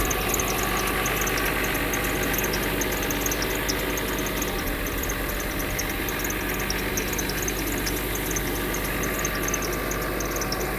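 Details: Mercedes W126 300SE, M103 3.0 L inline-six on a Voltarent ECU conversion, after the engine is started: even, settled idle under a heavy hiss, no knocks or misses; normal idle.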